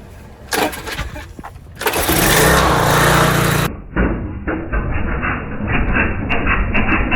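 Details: Small-engine pressure washer first rebuilt two years earlier, intake manifold known to leak: a few pull-start bursts, then it catches and runs strong and steady while spraying under pump load. Normal running under load.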